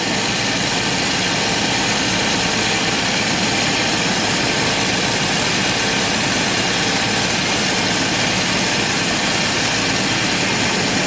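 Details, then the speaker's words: 1990 Jaguar XJS V12, warm, throttle linkages fully closed and idle valve turned all the way in: steady smooth idle still over 1,000 rpm; high idle, suspected vacuum leak in the vacuum hoses. "That's as far as it goes. And we're still over 1,000 RPM. Crazy. So there has to be vacuum leaks somewhere in this tree of vacuum hoses."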